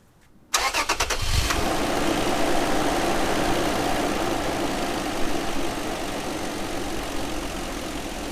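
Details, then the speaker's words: 2008 Toyota Tacoma TRD 4.0 V6 4x4, hot engine, after cleaning MAF for code P0102: quick crank, clean catch, steady even idle with no knocks or misses; sounds good, check engine light cause still unknown. "the engine is hot it does sound good the oil is clean it's a new air filter"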